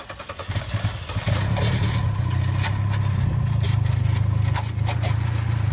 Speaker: Customer states they were on the freeway when their car started feeling sluggish, and now it makes this noise.